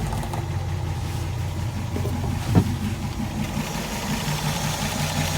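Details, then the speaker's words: Graymarine 138 AMC V8 in an early-60s 23-ft Lyman, after priming the worn oil pump: steady idle with smooth throttle blip, no knocking or ticking, good oil pressure; normal idle. "Old grill still sounds good yet. Probably early 60s, 23-foot Lyman. Still go again for another year."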